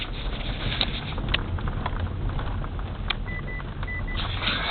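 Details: Mitsubishi Grandis front strut top mount knock, after the owner swapped upper mounts and strut parts; driving, steady road rumble over bumps with no clunk or knock from the front end: normal suspension, no strut mount knock.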